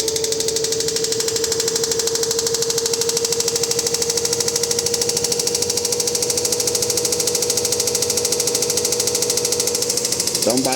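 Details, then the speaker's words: Samsung WD106 washer-dryer at about 100 RPM spin, with all parts replaced new: quick uneven thumping about three per second over the motor hum, as if the drum strikes something inside. Cause unknown. "Parece que o tambor bate em alguma coisa lá dentro."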